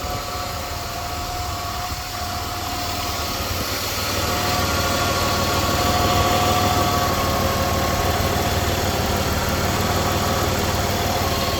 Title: 2004 Buick 3.8 Engine ticking noise is gone after adding Marvel Mystery Oil Inspection #karcheckz